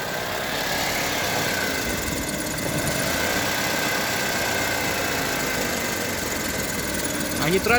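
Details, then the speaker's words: Honda HR-V CVT: silent in neutral, but in D with light throttle a steady droning hum rises over the engine from the rear area, gone in neutral; owner suspects bearings, unconfirmed. "А сейчас, когда D включаешь, вот такой гуд появляется. Вот где-то здесь вот сзади."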